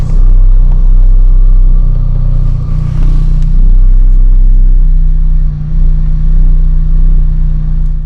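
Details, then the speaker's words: Lotus Elise at idle: a faint, constant whir over a deep, steady idle rumble. It does not change with rpm and is more noticeable inside the car. Owner suspects the fuel pump and is unsure whether it was always there. "it doesn't seem to change with rpm i think the rpms just kind of drown it out a little bit but it doesn't seem to change with rpm i think it might be the fuel pump"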